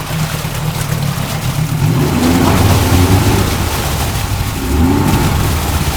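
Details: Yamaha 40 HP two-stroke Precision Blend oil-injected outboard in a test tank after carb cleaning and rough prop straightening, shifted in and out of gear. Fairly even, steady run with no shake or miss; runs pretty good, reverse fairly smooth, prop is shot.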